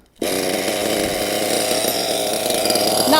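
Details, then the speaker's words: Nitro RC engine, high-speed needle set two and a half turns out from base, wants to start but won't stay running: high rough burbly uneven buzz; too rich. "the exhaust uh it's a bit too rich so i'm gonna go another half a turn"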